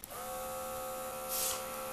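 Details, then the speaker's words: Disassembled working but inaccurate blood pressure monitor, whose air pump has a small orifice adding back pressure for even flow: steady, even buzzing hum of constant pitch; the pump inflates the cuff fast enough to overcome losses, running smoothly. "so the pump is delivering air fast enough to inflate the cuff and overcome any loss here so now it's deflating the cuff at an even rate"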